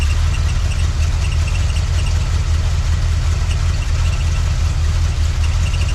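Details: 1979 Chevy C10 after sitting 5 years: steady, even low rumble with smooth regular firing and no knocks or misses; healthy, settled idle.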